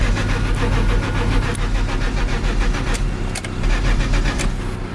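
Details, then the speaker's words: BMW E34 that was headed for scrap, with a new fuel filter after the old one was found bad: starter churns and the engine turns over evenly but never catches; clogged injectors or a fuel pump dead from long clogging suspected. "I think your fuel pump is dead from being clogged for too long."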